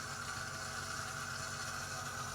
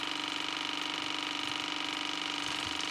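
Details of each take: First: 2015 AEG Favorit/Electrolux dishwasher showing code i30 and beeping. Water in the base pan lifted the leak-protection float, forcing emergency mode. Steady electric hum and whir as the drain pump cycles on. Cleaning fixed it. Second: 2015 AEG Favorit dishwasher after i30 leak error, cleaned with a water flosser: steady motor hum with running water and no beeping as the drain pump empties the tub fully; normal drain pump operation.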